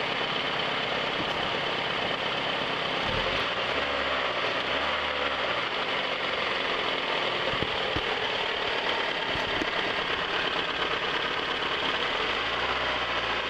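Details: 1997 Toyota RAV4, warm, rough, loping idle with lumpy exhaust beats. Pulling the #2 plug cable barely changes the idle, so #2 is suspected dead; pulling #1 or #4 stalls the engine, and the effect of #3 is unclear.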